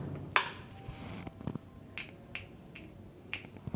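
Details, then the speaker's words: Pedestal fan capacitor removed, charged from the plug and shorted: five small dry snaps instead of a strong pop; capacitor not holding charge, to be replaced. "బాగానే ఉంది ఇది కానీ పెద్దగా spark ఏమి రావట్లేదు అన్నమాట ఇలా షార్ట్ చేయగానే టఫ్మని పోవాలి అన్నమాట మామూలుగా ప్లగ్ లో పెట్టినప్పుడు బాగానే సౌండ్ వస్తుంది కానీ ఇలా షార్ట్ చేసినప్పుడు సౌండ్ రావట్లేదు అంటే స్టోరేజ్ అవ్వట్లేదు అన్నమాట"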